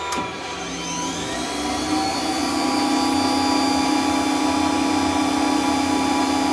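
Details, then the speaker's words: Centurion tank turret main generator starting, before the Metadynes, cold and warming up: whine climbs then settles into a steady, even hum; normal startup and run. "So yeah, listen and hear the sound of angels singing."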